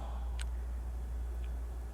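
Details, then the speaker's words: 2nd-generation Toyota Prius relay bench-tested with power probe: two crisp clicks over low hum as relay pulls in and releases, continuity confirmed; relay working properly, not the fault. "I have continuity. This relay is working 100%. All the functions of this relay are working properly."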